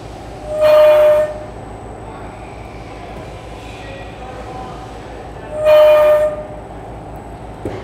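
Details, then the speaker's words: Ball-screw linear module with poor servo tuning: two sharp, high steady squeals over a low running hum as the carriage reaches the end of travel, where the unsupported screw length is longest; servo oscillation from tuning, not a mechanical ball-screw fault. "you can hear distinct squealing sound when you got down to this end of the travel now one of the things you might think is this could be a mechanical problem maybe there's something wrong with the ball screw at this particular point in the travel"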